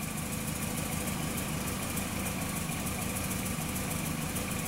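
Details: 2004 VW Jetta 2.0 engine with P0303, misfire counters rising on cylinder 3 only: idle runs rough with an uneven, stumbling beat over the engine drone; cylinder 3 misfire.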